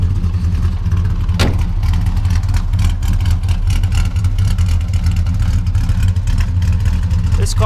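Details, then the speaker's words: 1962 Plymouth Valiant V200 wagon, mildly built slant 6 with a non-race cam and tuned carb: catches quickly, settles to deep steady idle, even firing, no knocks or ticks; healthy. "but you can hear it's got a cam in there. It's not all out race cam, but it sounds p"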